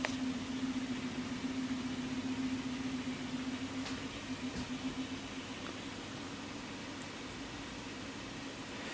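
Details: Showtec 1W RGB LED PAR64 Long Nose, about 12 years old, recorded in a near-silent room. The cooling fan gives a low, rough, pulsing growl that fades toward the end, from worn fan bearings; the fan is replaced.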